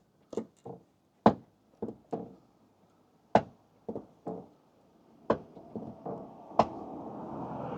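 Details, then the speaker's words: Loose, badly fitted repaired front body panel near the headlamp after a shoddy accident repair: irregular hollow knocks about every two seconds as the panel pops in and out and rubs the headlamp, sounding like a barn door. "But it pops out and it pushes in and it rubs against the headlamp here. It sounds like a barn door."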